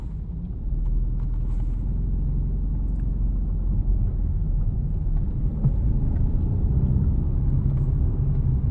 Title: Impreza TS no power/misfiring (warm)